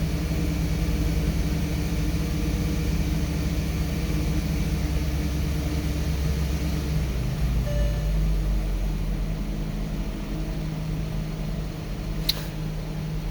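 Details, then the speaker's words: 2009 Porsche Cayenne S V8 after new coil packs and spark plugs and an intake snorkel refit: steady, even drone that drops to a calmer note after a rev, no misfire stumble; runs normally. "I think it's better. It's got to be."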